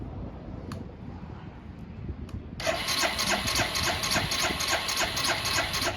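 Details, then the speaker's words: Barn-find 2005 Suzuki GZ250 with 950 miles: starter spins the engine with a steady chug, three or four pulses a second, never catching; no fuel coming from the petcock, suspected as one cause. "I'm just gonna crank it real quick, see if any fuel comes out of the petcock. No, no fuel. Alright, well, that's probably one of our issues."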